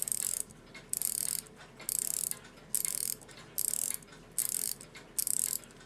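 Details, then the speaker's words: Post-WWII German Europa 7-jewel alarm clock: bursts of light fast ratchet clicks while winding alarm; mainspring end pops past its catch in the barrel, turning freely without building tension. "Yeah, now it's just freely turning past it. It's not trying to catch it all."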